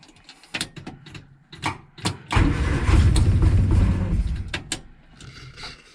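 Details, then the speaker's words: £500 budget Morris Minor, start attempt with a sticking fuel pump; clicks and cranking burst, engine catches roughly for about two seconds then dies; owner thinks fuel went off, smells it in the exhaust; stalls after brief start, cause unconfirmed. "I wasn't expecting her to stop um obviously she's not running oh very well anyway"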